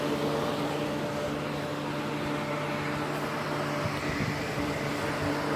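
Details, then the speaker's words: Holmes Blizzard stand fan, dusty, made 2010 or 2001, grill nearly cracked, first power-up on high: steady whoosh of maximum air with low motor hum, even tones, no rattle or ticking; runs normally. "This thing is blowing a maximum of air right there."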